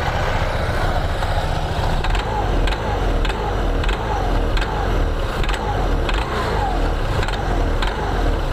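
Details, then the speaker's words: 2021 Honda PCX 160 at idle, complaint of rough CVT noise and judder on pull-away: rattly clatter with a faint regular tick about every half second, also on sudden throttle; loose roller housing cover in the front pulley. "jadi suara kasar di bagian CPT seperti ini saat langsam kakkklak gitu ya atau saat ditarik gasnya mendadak"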